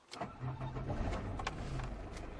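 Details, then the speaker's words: 1988 Citroen BX 19RD estate, 71bhp diesel, start-up: brief crank, then a coarse, clattery but normal tickover, not refined at idle but said to smooth out once underway. "As you can hear, it's not the most refined engine on tickover, but once you're underway it really smooths down."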